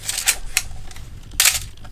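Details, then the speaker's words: Third Canon A1 film camera, shutter fired at 1/1000 before repair: sharp mechanical snaps, each trailed by a faint thin squeal; still acceptable but beginning to squeak. "Voilà, c'est encore correct, mais on commence à avoir ce petit squeak aussi."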